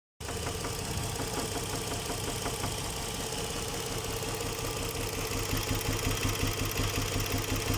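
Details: Nissan Murano Z50 at idle: a sharp, fairly regular knock about three per second over the engine; the owner calls it connecting-rod knock, not confirmed.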